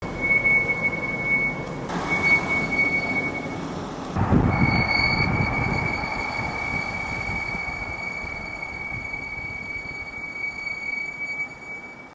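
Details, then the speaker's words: BMW X7 (delivered June 2021) braking: loud, steady high-pitched squeal over low rumble; owner complains of severe brake noise, cause suspected, not confirmed. "어 지난번 전화 통화할 때도 브레이크 소음이 좀 심하다 그리고 그 전화 너머로도 그 브레이크 소음이 창문 너머로 들릴 정도였고"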